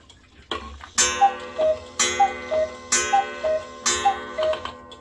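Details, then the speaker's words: Cuckoo clock now running on its proper weights, no longer two weights on one hook: steady tick-tock about once a second, crisp and evenly paced with no stumbles; operating normally. "They're right here, and it's finally operating as it normally is, and it's just operating just"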